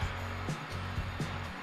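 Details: 2014 Chrysler 200 after a no-crank, no-start caused by the lender remotely disabling the computer, now reactivated; steady low hum with brief dips, engine idling evenly.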